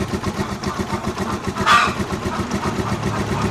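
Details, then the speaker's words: Rusi Chariot 175 single-cylinder motorcycle, cold engine unused nearly two weeks, one-click start without choke on an undrained battery, well tuned, new NGK spark plug. Even, steady idle putter, no misses or knocks; healthy settled idle. "So one click start lang mga travelers. Hindi ko na ginamitan ng choke. Buti hindi siya nag hard start."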